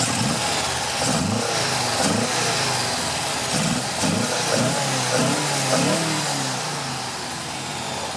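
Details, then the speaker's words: Porsche 914 rebuilt stock 2.0L flat-four, warm, after timing, carb sync and idle adjustment, stock 2.0 distributor with trigger points removed: blips up and falls back cleanly, crisp and even; revs well, idle somewhat low and bouncing. "seems like they i think it revs pretty good"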